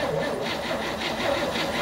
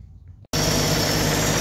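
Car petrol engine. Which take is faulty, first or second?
first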